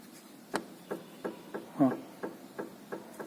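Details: Worn stabilizer link (bieleta) on a 2012 Ford New Fiesta front suspension, rocked by hand: sharp, dry knocks about three times a second from the loose link; both sides' links were knocking.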